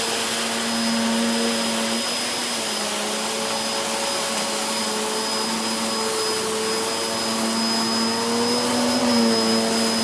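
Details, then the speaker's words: Hoover Whirlwind Pet WHS2102 001, a 2100W bagless upright from 2013 with a refitted belt, on carpet: a loud, steady motor whine with a busy, even brush-roll rumble, noisy because the brush roll is aggressive; normal running. "It's really raised the pile on that carpet nicely, and you can hear by how noisy it is that it's aggressive."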